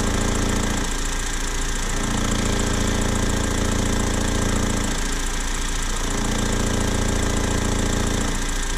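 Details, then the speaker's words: BMW 120 on a lift with the handbrake pulled and a gear engaged so the engine is under load: a rapid hammering knock, about three per second, surges in rough bursts over the running drone; knocking under load, cause unclear. "eu deixo ela fez mão puxado e engatado a marcha então alguma entra em carga né Aí tem aparece o barulho"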